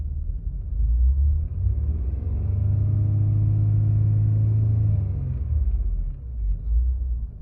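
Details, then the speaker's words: 2005 Acura TL after running about 53 minutes, still shaking slightly: revved, then on the way down the rpm briefly flares up again before settling to idle; owner unsure whether this is normal. "See how it kind of just like kind of revved up a little bit again before it went all the way back down? Like, is that normal?"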